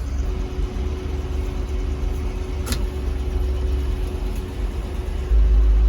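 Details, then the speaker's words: 1976 Chevy K10 with junkyard LS swap, first drive after 20+ years sitting: V8 held at high steady revs with constant drone while the truck barely gains speed, because the transfer case was left in four-low. "i have not had a lot of four-wheel drives so feel free to laugh but well that would be a pretty easy fix i was like damn i was like this thing's got some crazy gears"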